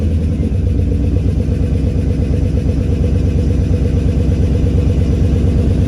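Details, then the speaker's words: Volkswagen Squareback with stock engine fitted after the 6.0 liter seized a main bearing, just started, idle targeted 650 rpm, 39 psi oil pressure: steady idle with faint regular lifter ticking, suspected from sitting. "sounds like got a couple lifters are still making noise probably just from it sitting"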